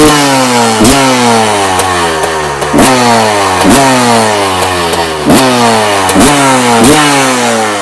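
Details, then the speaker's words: 1990 Honda CR250R two-stroke with new plug and some carburetor work: buzz climbs with each blip then falls straight back before revving out, chokes off; owner suspects HPP power valve not opening or carburetor, unconfirmed; bogging at high revs. "I got it lit it doesn't it doesn't come on the apartment like I supposed to kind of chokes off so I'm gonna start the HPP valve may not be opening it could be a problem the carburetor"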